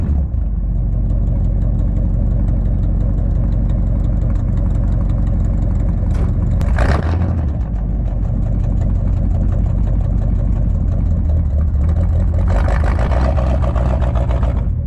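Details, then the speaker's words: 1959 Edsel Ranger V8 at idle after fitting a used replacement driver-side exhaust manifold/header; deep steady even firing with a couple of brief throttle blips, no ticks or leaks standing out, running good despite a broken manifold on it. "She don't sound too bad for a broken manifold on it."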